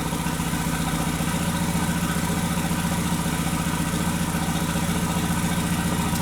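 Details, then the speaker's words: 2001 VW Jetta Wolfsburg 1.8T (180 hp), bought non-running with previously tampered engine harness: lumpy, uneven idle with roughly two stumbles a second; misfires on cylinders 2 and 3 plus random misfire (P0302, P0303, P0300), camera shaking. "so we have random misfire and cylinder number three and still the number two misfire"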